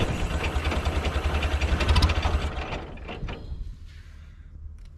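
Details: International Cub Lowboy 154 after coil, points and condenser replacement and refitting forgotten distributor rotor: quick even low thumping about three beats a second settling quieter; engine catches and runs smoothly, normal start and idle.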